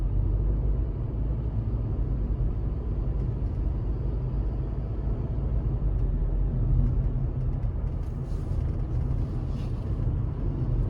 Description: I personally never found such sounds from the car. I felt the car to be very smooth and calm in driving and gave me the best results overall.